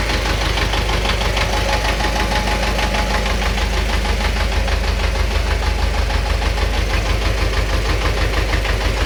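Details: Engine knock at idle: a regular knock of roughly three per second sounds over the engine's low rumble; cause unknown.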